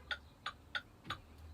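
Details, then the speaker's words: CDL truck pre-trip light test with the left and then right directionals switched on: crisp, evenly spaced clicks about three a second over a quiet idle; the turn signal flasher is cycling normally. "Left directional's on. Right directional's on."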